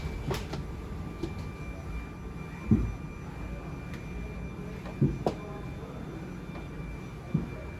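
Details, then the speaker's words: 2021 Sandpiper 393RL travel trailer, living room slides moving: thin steady motor whine under the room hum with a few dull thumps; the whine means the slides are near the end of travel and about to shut off, normal operation. "Alright, and so once you hear that kind of just whine from the slides, that's about it. It'll just about shut itself off."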